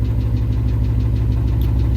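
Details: Engine knock at idle after hot lapping at a race, revving and shooting flames from a hot kit, then the engine shut off; regular deep knock about eight per second tracking engine speed. Cause unconfirmed.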